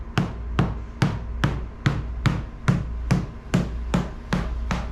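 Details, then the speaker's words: Coin tap test on a 1985 Hobie Cat 16 fiberglass deck: high-pitched solid taps turn deeper and more hollow where the skin has lifted off the core; delamination void. "So, you'll hear it sounds pretty high-pitched and uh solid. And as we move forward, you're going to hear it start to get deeper and more hollow right there."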